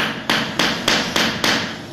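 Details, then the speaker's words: Porcelain floor tile laid with back-buttered mortar and drag technique, tapped at tile centre: five crisp dull taps without hollow ring; mortar fully crushed and filled underneath, solid tile, no hollow spot. "Não fica oco, por quê? Quando a argamassa das costas do piso encosta na argamassa, você dá o arraste que ela esmaga por completo, ela preenche todo o espaço embaixo do piso, não deixando o piso oco."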